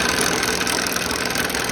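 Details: Salvaged roughly 30-year-old (mid-1990s) Delta P-20 cast-iron scroll saw, restored, with makeshift fix holding a shifting blower part: steady, even buzzing clatter from motor and blade drive, no knocking or grinding; runs normally, blowing air.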